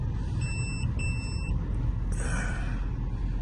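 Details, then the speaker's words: Mercedes C180 Sport, engine rebuilt in 2019, reversing: repeated short, high beeps over a low cabin rumble, speeding toward a solid tone; parking sensors working, stopping when shifted to Drive. "we're going to put the car in Reverse I can hear the beeping coming from from the coming from the parking senses"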